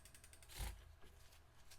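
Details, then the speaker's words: Bike rear wheel spinning after the disc brake caliper was realigned and the warped rotor straightened by hand: fast even freehub ticking, no disc rub, quiet brake. "why my brakes spin it again quiet as can be simple matter of a properly aligned caliper rotor that's no longer warped"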